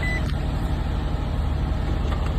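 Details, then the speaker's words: Car idling smoothly right after starting on a newly installed group 35 battery (490 CCA minimum, G35); fired up immediately and faster than before, memory saver likely failed so settings reset; steady even rumble, no misses, normal idle. "Car started up immediately. That is amazing. I'm used to it kind of going and then start up."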